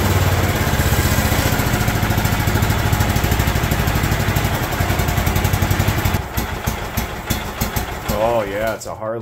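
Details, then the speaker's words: John Deere LT160 Automatic mower after years outside, running from a fuel funnel: slow uneven single-cylinder thump at low idle, loping and stumbling; idle speed set too low, owner plans to turn it up a hair. "I bet we can turn that up just a hair and it'll be fine"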